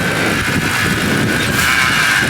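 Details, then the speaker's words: BMW E92 M3 V8 idling outdoors in strong wind with the air conditioning on: a steady high-pitched whine sits above the idle; owner suspects the power steering pump and plans to replace it, unconfirmed. "yeah so bring the rams off i think it's the power steering so i need a new power or a steering pump"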